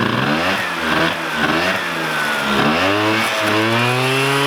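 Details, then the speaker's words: 1987 Honda Aero 50 two-stroke scooter, first start of restomod: buzzy revs rising and falling smoothly with throttle, crisp and even with no misfire or rattle; needs a little throttle to hold idle until idle screw is set; normal running. "Wow, that fires up no problem. It's on. There it is."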